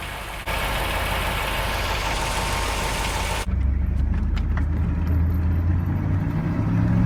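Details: Steady, even idle after an exhaust manifold leak was repaired by epoxying around the whole collector. Only a low rumble from the rear mufflers is heard, with no ticking or puffing at the manifold, so the leak is fixed.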